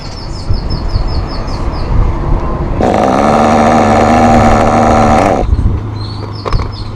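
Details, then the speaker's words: Thunder Tiger SSR 4WD nitro RC car, untuned, high-speed needle at default, cold: lumpy uneven idle for a few seconds then drops away; too rich, throwing lots of oil from exhaust at idle; rich idle mixture. "Right now the car, it's too rich. You can see on the street that it is actually throwing a lot of oil from the exhaust just in idle."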